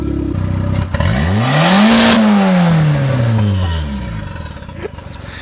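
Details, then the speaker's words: Newly bought turbo Miata, vacuum lines suspected hooked up wrong: the engine revs cleanly up and back down in one sweep, then settles into a slightly lumpy idle; running rich, but running. "no it's better rich than broke we ain't broke we're driving the miata"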